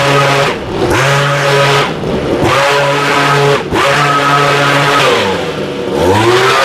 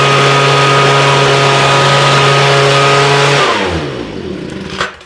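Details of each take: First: Homelite two-stroke leaf blower, warm, after a quick fix for running, dying and stumbling: clean engine rises and falls smoothly through throttle blips with no sputter or stumble; now running perfectly. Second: Homelite two-stroke leaf blower with new fuel lines and redone carburetor, seemingly running rich; holds a steady high buzz, then loses speed and winds down to a stall with a last sputter; runs, dies, stumbles intermittently, cause unknown.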